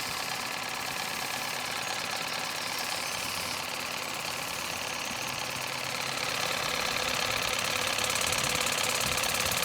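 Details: Lidl Nevadent water jet flosser on its soft setting with a full tank: a fast, even, high-pitched buzzing pulse of about three beats a second, steady throughout, a healthy pump.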